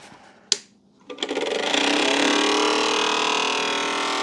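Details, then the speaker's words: BP Microsystems Silicon Sculptor 3 device programmer at first power-up: a couple of clicks, then a rising whir settling into a loud rattly hum; the cooling fan is suspected to be noisy, not confirmed. "yeah definitely needs fans can you hear that I think it's think is that fan"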